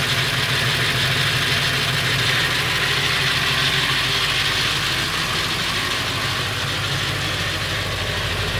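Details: Late 1999 Ford F350, 7.3L Powerstroke diesel at idle: fast, uneven metallic rattle around three a second over the clatter, more pronounced under the truck; owner suspects flexplate or engine, unconfirmed.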